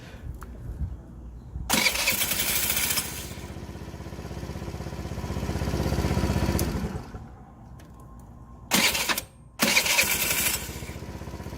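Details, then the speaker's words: TaoTao 50cc Chinese scooter, bought non-running, 3,693 miles: short starter whirs then the engine catches into an even buzzing idle; starts normally, slight start-up noise, owner thinks the Bendix may eventually need changing. "Makes a little bit of crazy noise when you're starting it up, but once it gets running, it's good."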